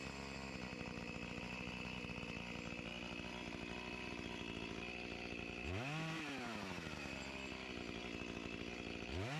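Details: Echo CS-352 chainsaw that starts then dies, test cutting at the wood pile; drones roughly, revs sag and struggle to climb when pushed; lean fuel starvation bogging under load, fuel line suspected of sucking air, so screw adjustment won't help.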